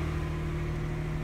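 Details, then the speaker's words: 1988 Acura Legend 2.7L V6, first start after timing belt and water pump replacement: smooth, steady low hum with an even pulse, no ticking or knocking. Coolant still needs air bled; runs perfectly, normal idle. "et maintenant il est temps pour le premier démarrage et elle fonctionne parfaitement"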